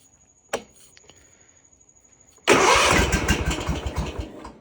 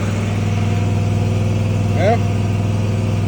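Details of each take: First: Kawasaki-engined mower, warm day, after sitting a month; starts only with choke up and throttle halfway. One short crank dies, then after a pause it catches and settles into a running rumble. Hard, reluctant starting. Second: Mower started after sitting a month, with choke up and throttle at halfway: steady low drone at constant speed, no stumbling or misfire; running normally.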